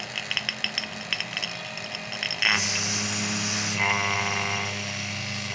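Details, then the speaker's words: LG dual inverter air conditioner installation: vacuum pump pulling the lines to minus 30, after a few handling clicks settling into a smooth, steady hum with no surging or pitch change; the soft sound indicates normal vacuuming. "Kemudian pada suara Hai pompa vakum itu sudah terdengar lembut"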